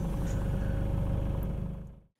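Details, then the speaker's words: Diesel engine the morning after fitting new glow plugs, cold outside, glow plug light used: starts straight into a steady, even low rumble with no misfire or stumble; normal idle. "okay so here we are the next morning now nice and cold outside glow plug light gun and we start up nice and smooth"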